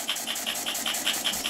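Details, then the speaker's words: Antique toy model steam engine at about 5 psi boiler pressure, exhaust out the chimney, properly oiled: crisp, even chuffs about five per second with no knocks; running smoothly. "are running pretty smoothly better all oil properly Gordon yes yep"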